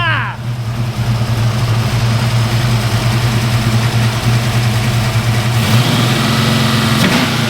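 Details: Small-block V8, about 12:1 compression, on a 93/ethanol and race-fuel mix, after the distributor was reinstalled: choppy, loping idle around 1100–1120 rpm with an uneven cam beat, steady and strong; normal lumpy idle.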